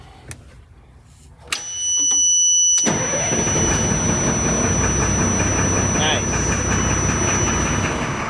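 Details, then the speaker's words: Military surplus LMTV diesel truck after fitting correct five-pin start inhibit relay in place of a four-pin one: starter cranks briefly, engine catches and settles into a steady, even run with no misses or knocks. "اب چل رہا ہے"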